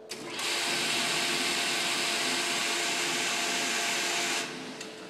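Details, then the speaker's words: General Air Products RFP residential fire protection pump running properly: a steady, high whirring hum at constant pitch that starts and stops cleanly, with none of the ticking of short cycling. Normal pump operation. "that's what the pump is supposed to sound like when it is running the way uh that it was designed to"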